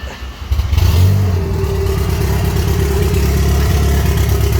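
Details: Mini Cooper S, N14 1.6 engine, previously crank-no-start: brief crank, then catches cleanly and settles into a steady, even idle with no stumbling; starts and runs properly.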